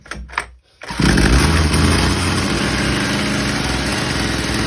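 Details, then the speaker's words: McCulloch B26 two-stroke petrol strimmer, cold winter start after priming up to 10 times with full choke: catches on one pull, settles into fast, buzzy, slightly uneven warm-up idle on choke; normal cold start. "Let it warm up. As you can hear, it's warming up there."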